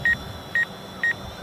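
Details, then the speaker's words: DJI Phantom 4 Pro on its first flight: four short high double beeps about half a second apart as the front obstacle sensor detects an object and the drone brakes. Normal obstacle warning. "So you hear that beeping, that's it saying, hey, I'm gonna hit something. And it must be set for pretty far away because it was about 12 feet away when that started happening."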